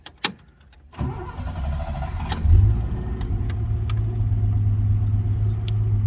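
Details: 1967 Rambler American with the AMC 199 ci six, warm start after replacing a cracked phenolic carb spacer that caused a vacuum leak, timing set: a brief crank, then it catches cleanly into a smooth, even idle with no hiss or stumble.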